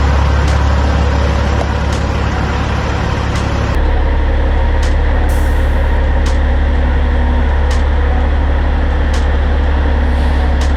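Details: 2004 Kenworth W900L project truck with CAT C-15 diesel, just started before being brought into the shop: deep steady rumble with even low beat, no misses or knocks; smooth, healthy normal idle.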